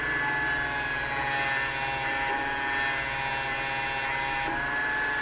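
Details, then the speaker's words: LG front-load washer-dryer with a jury-rigged drain pump on a manual arcade-button switch, draining at the 15-minute mark: steady, even pump whine with a constant hum and no knocking or grinding. The pump runs normally. "so as you can see I'm draining it now because"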